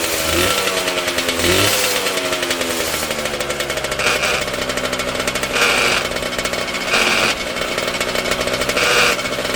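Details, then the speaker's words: Homemade bike, Yamaha 125cc two-stroke (DT or RD YPVS) in old Tunturi frame, cold on choke: raspy idle with repeated harsh metallic grinding bursts every second or so as clutch is pulled; clutch grinding, needs checking. "easy as you could hear the grinding noise when I pulled the clutch I need to check it sometimes"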